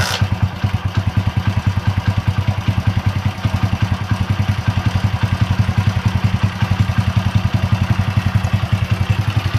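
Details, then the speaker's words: Honda Win motorcycle at idle: a loose, fast metallic clatter (kletek) about three or four rattles a second on every firing, clearly a worn, slack cam chain (keteng), unlike the finer kricik of valve noise; the cam chain is being replaced. "Untuk bunyinya ini jelas banget si keteng ya, karena bunyinya gitu seperti itu."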